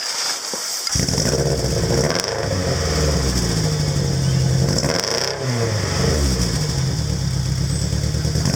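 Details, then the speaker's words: Celica exhaust leak at the joint where an eBay replacement section lacks the original's welded captive nuts; after bolting up with tight springs, engine starts and blips with a raspy puffing chuff rising with revs; still blowing, springs may need packing out tighter. "Oh, that's still blowing, isn't it? Maybe we need to pack those springs out and get them a bit tighter."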